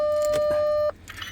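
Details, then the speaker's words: Audi Q7 with intermittent no-start, no dash lights, from a steering column fault; control board repaired, programmed and temporarily connected. Clear single-pitch chime under a second, then cuts off; ignition and dash come on normally. "Ignition's on. Yes, that's good."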